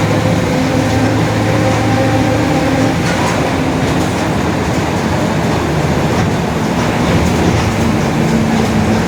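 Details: 2021 Mercedes-Benz OF-1721 BlueTec 5 bus with a Marcopolo Torino S 2018 body, long wheelbase, urban service, cruising: a steady low growl under the engine and road drone, identified as the differential growling.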